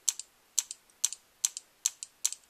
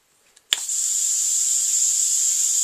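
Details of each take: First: DLX Luxe 2.0 paintball gun powered on, eyes off: crisp paired clicks about twice a second as the solenoid snaps with each trigger pull; solenoid working electronically, normal. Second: DLX Luxe 2.0 paintball marker when aired up: a sharp pop of air, then a steady high hiss that keeps running, from a leaking solenoid.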